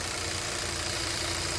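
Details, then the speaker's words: 2012 Kia K7 2.4 GDI Theta II gasoline, 143,891 km, after cylinder boring/rebuild for broken crank bearings and a failed oil pump, with all four ignition coils and spark plugs replaced: steady, even idle with a smooth low hum, no knock, misfire or shake; engine sounds healthy. "엔진 상태 양호하구요 엔진소리 양호합니다 조금더 시동을 걸어 놓겠습니다"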